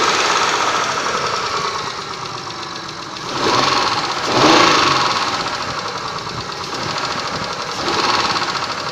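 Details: Mitsubishi 6A13 engine, warmed up: hard metallic knocking under the engine note, swelling as revs rise; engine knock when warm, source not pinned down.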